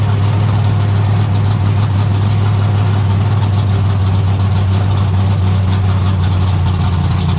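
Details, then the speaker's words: 1972 AMC Javelin race car V8, motor not run in almost 30 years, just started: deep, heavy, steady rumble at idle, firing evenly with no knocks or misses. Normal idle. "Thing's kind of wicked. It's a freaking monster. Jeez, it sounds angry, man."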